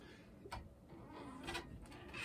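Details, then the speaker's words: Sole elliptical with short high squeaks on each stroke over quiet background; rails got wet then very dry, making the wheels squeak. "a lot of times with ellipticals when they either get sweat down on these rails or in my case if the rails get wet and very then very dry it makes a loud squeaky noise"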